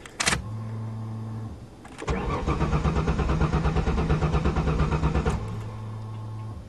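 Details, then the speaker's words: 1994 Ford Taurus wagon: steady fuel pump hum, then about three seconds of rhythmic starter cranking that never catches; engine turns but won't fire because the tank is empty, gas suspected stolen. "I bet someone did steal the gas bastards all right I'll put some in"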